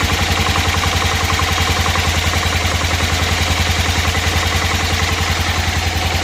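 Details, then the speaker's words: 1988 Club Car golf cart, 8.5 hp Kawasaki engine, barn find, idle lowered; quick even firing pulses at steady low idle, no misses, knocks or hunting, nice and quiet, not smoking, smooth healthy engine. "that's a sweetheart isn't it nice and quiet not smoking smooth when it runs"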